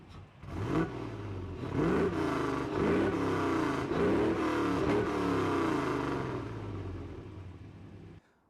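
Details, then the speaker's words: Land Rover Defender V8 after cylinder head gasket replacement, with new headers and a custom stainless exhaust with dual rear exits and twin tips; cranks and catches, then a deep, even rumble rising cleanly through several blips, no knocks or misses, healthy. "And I think the addition of the custom exhaust gives it that proper V8 sound, so I'm very happy."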